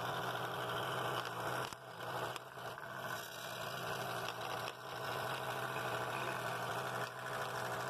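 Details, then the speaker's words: Scroll saw cutting half-inch walnut for a lucet project; blade singing a nice steady note at fairly high speed, no rattle anywhere in the mechanism or arm: normal scroll saw cutting. "blade's singing pretty nice note there it sounds good there's no rattle in it mechanism anywhere"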